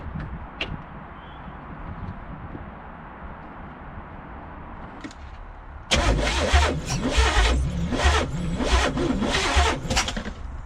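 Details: 1985 Pontiac Trans Am 5.7 350 small-block Chevy, unrun 7 years and previously seized, distributor just shifted: about five seconds of steady rhythmic cranking with spark present but no catch or firing. Cranks but won't start.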